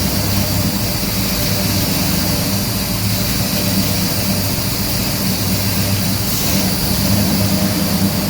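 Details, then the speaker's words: 1969 Pontiac GTO V8 with MSD Atomic EFI after throttle body blade adjustment; idle previously swung between 200 and 1400 rpm. Deep, even burble now holds steady with no dips, surges or stumble; settled idle. "well there you go we've got our idling good"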